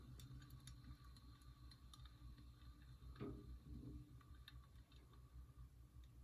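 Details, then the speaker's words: Ceiling fan, taken apart to find the noise, spinning with a low steady hum and light irregular ticks; bearings give gentle clicks, quieter than the ticking. "but also the bearings make gentle click which means they're much quieter than the ticking you'll hear"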